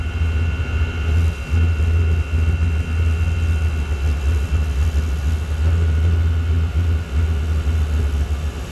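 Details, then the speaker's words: Chinese diesel heater (PT-5) running a fuel mix with slightly more gasoline, inlet nearly covered: low uneven throbbing roar surging and sagging; owner suspects too much gasoline consuming oxygen so the oil won't burn cleanly. "think there's too much gasoline in it is what's happening I think the difference is I use a slight bit more of gasoline and the gasoline flashes off really quickly Burns consumes the oxygen and actually doesn't allow the oil to burn which then builds up"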